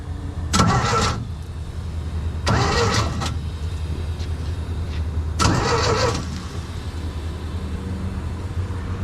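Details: Sullair 185 compressor engine, carburetor fed from a temporary fuel pump and hose, ignition switch missing: short bursts of cranking, about half a second each, engine spins over but never catches; no spark, so it doesn't start.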